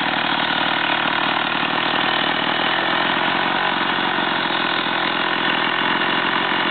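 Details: STIHL 028 AV chainsaw, over 30 years old, idling after a carburettor overhaul and adjustment: a steady, even two-stroke burble with no hunting or stumbling throughout; idles cleanly.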